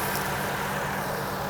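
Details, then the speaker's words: 2004 Acura MDX V6, 200k miles, engine bay, power steering pump replaced last year, AC on; smooth even low hum, steady note, no ticking or knocking. Normal quiet idle. "Good, quiet."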